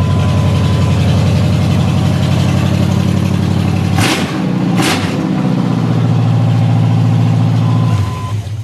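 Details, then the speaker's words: Chevy truck V8 first start after fitting new headers with no exhaust beyond them: loud, deep, lumpy idle with raw crackle and blips, running steady; open-header idle, engine healthy, much better. "give it a try here I don't have anything hooked up beyond the headers but I want to make sure I got everything back in the things gonna work"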